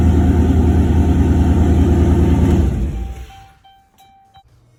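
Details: Turbo LS V8 in a Caravan, idling in park after the harness rewire with 0411 PCM and transbrake mod: deep, even burble with steady firing and no knocks or misses before it quiets; healthy, normal idle.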